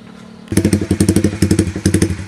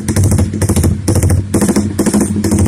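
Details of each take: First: Fuel-injected motorcycle with a Juken 5 BRT ECU, fuel map tuned at normal working temperature for a rumble idle around 1500–2000 rpm. It fires up into a lumpy, loping idle of heavy thumps with short gaps. Deliberate rumble idle from a custom fuel map. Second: Juken 5 tuned for rumble idle by changing fuel settings at working temperature: lumpy loping idle with uneven thumps about twice a second, then a steady higher blip; deliberately rich tune running as intended.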